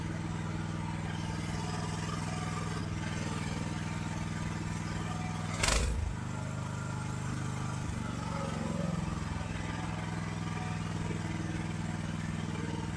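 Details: AGT LH12R mini excavator with RATO engine, governor being rotated counterclockwise to lower idle: steady engine drone with strong low hum and a brief clatter midway; high idle speed from governor setting.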